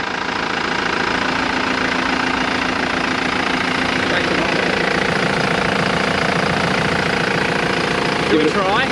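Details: Old diesel van idling with a steady knock of about three or four a second over the engine rumble. It is noisy and lacks power; the owner suspects the turbo or a manifold leak, cause unconfirmed.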